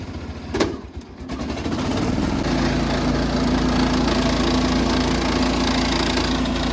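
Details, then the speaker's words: Cub Cadet 1200 mud mower, pulled from the weeds for the first time in years, clutch badly out of adjustment: the engine catches and settles into a fast idle that isn't set low enough, with a constant metallic rattle. Engine rattle with high idle. "The motor sounds like it's trying to fall out of it, and the idle's not set low enough, but we're gonna go for a little ride."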